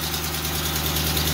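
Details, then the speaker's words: 400ci small-block Chevy V8 auction find running on a test stand: steady idle with fast, light clicking over low rumble; owner suspects it badly needs a timing chain, not confirmed. "this thing needs a timing chain [Music] real bad if you can hear that clicking"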